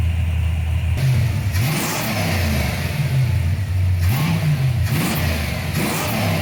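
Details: 1995 Ford Mustang GT, Ford 302 V8, after swapping in a new manifold, rebuilt carb, fuel pump and gas tank; a loose plug was found and timing set. Deep, even burble with clean blips back to idle, no miss, running on all 8 cylinders.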